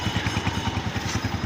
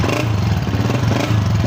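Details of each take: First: 2017 Honda CG125 single after general tuning fixed missing and engine noises (genuine air filter): even thump about eleven beats a second at idle, no tapping or misses. Healthy. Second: Honda CG125 2017 single-cylinder, cold, owner complaining of missing and engine noises: rough idle with raspy exhaust from cracked silencer and light tappet ticking even cold, misfiring noticeably; before tune-up.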